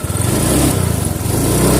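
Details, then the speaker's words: Honda Vario 125 FI scooter after a slight rotating adjustment and setting idle: revs up cleanly and settles back, no stumble or hesitation; throttle response normal. "tidak ada tekor-tekornya atau mrebetnya"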